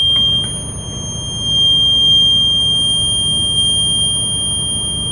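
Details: School bus diesel started at high idle for the brake check: a steady high-pitched continuous buzz holds over the engine rumble. Low-air warning sounds while the compressor builds pressure toward 120–140 psi cutoff, as expected.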